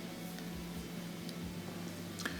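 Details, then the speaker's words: Gas fireplace with gas valve in the on position, igniter switched on: steady faint clicks about twice a second over a low hum, spark visible but no flame whoosh; dirty pilot assembly won't light. "so I click it turn it on and I hear the clicks I can see the spark jumping but still no ignition usually the stuff just gets dirty over time it gets some carbonation on it and then it no longer will light"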